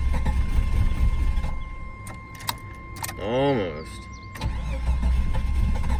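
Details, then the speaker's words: 1988 Jeep Wagoneer XJ with automatic overdrive transmission, long sitting: starter cranks, engine catches briefly with a rising surge then stalls within a second; failing fuel pump gives only enough key-cycle prime to light it off, though engine sounds healthy and charging. "the fuel pump is shot it builds up just enough Prime when you cycle the key to sort of light the engine off but then it ends up stalling"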